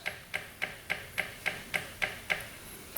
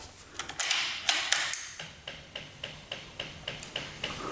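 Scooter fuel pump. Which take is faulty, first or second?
first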